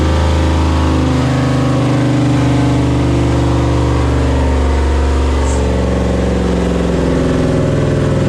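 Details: 6.0 V8 swapped into a CUCV, first start with idle set lowered to 650 rpm, coolant system not connected: settles into a fast, steady idle well above target with no obvious miss; high idle, owner suspects an air or vacuum leak.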